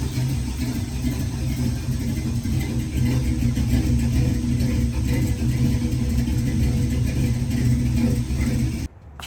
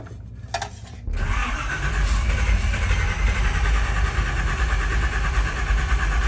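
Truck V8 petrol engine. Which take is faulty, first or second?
second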